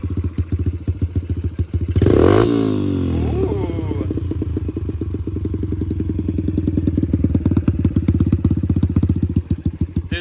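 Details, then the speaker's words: Yamaha TTR 125 dirt bike after carbon cleaning, repainted exhaust and cleaned spark arrestor: single cylinder fires crisply, takes a sharp throttle blip and settles to a steady, even thump; normal running. "i like it it sounds good sounds real good hammer that throttle one good tombow"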